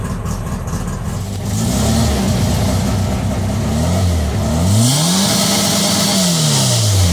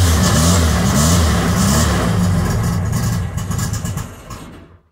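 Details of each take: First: VW Bug with Weber 44 IDF carbs and a newly installed CB Performance Black Box ignition, map not yet tuned: the engine pulls cleanly through crisp rev blips with no stumble or misfire. Timing was checked afterwards, found well off, and reset to 20. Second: VW Bug with Weber 44 IDF carbs, just after installing a CB Performance Black Box ignition: a lumpy carbureted idle sags and fades to silence over about five seconds, stalling because the key was held too long and the choke deactivated.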